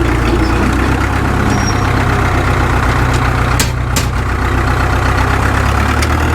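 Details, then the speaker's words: Caterpillar D2 #5J1113 diesel after replacing the internally leaking number 3 injector: steady, even low chug at idle with no pops or misses; intermittent pop gone, healthy and smooth. "I'm not getting that pop anymore. I think this sounds better now than it has since it's ran. I like it."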